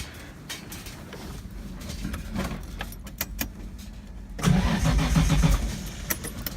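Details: Datsun 240Z with RB20DET swap, after cleaning injectors: some clicks then starter turns engine about four beats a second, never fires; crank no start, cause unconfirmed.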